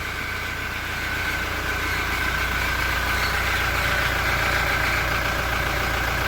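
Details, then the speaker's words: Toyota Innova Reborn diesel at idle: light cricket-like chirp from the exhaust appearing only once temperature rises and rpm drops below about 900 to stable idle; cause not yet found. "Jadi munculnya ketika temperatur sudah mulai naik dan RPM sudah mulai turun."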